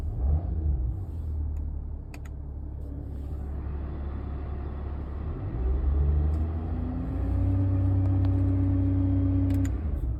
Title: E280 CDI W211 AC compressor whine at part load. Bad pulley or compressor?